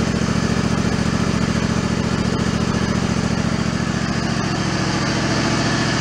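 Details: Mid-90s Toro Wheel Horse riding mower, choke off, after restoring fuse power: steady, even single-cylinder thump at about 3.5 beats a second, no misses or surging.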